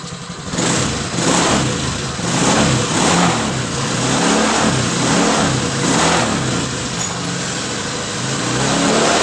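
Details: 2019 Honda Scoopy scooter after connecting rod and piston kit replacement for a noisy mid-engine knock: catches and settles into an even, steady idle with smooth revving, no knocks or rattles; engine now runs smoothly.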